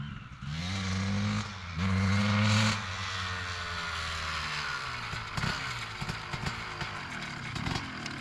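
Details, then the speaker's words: 2003 Honda CR250R two-stroke dirt bike riding after idle adjustment: revs climb in two short pulls then fall away, never reach top end; loading up and bogging, owner suspects carb needs re-jetting. "Seems like it's uh loaded up pretty good. Doesn't really want to get into the um high RPMs. Probably needs the carb gone through re-jetted."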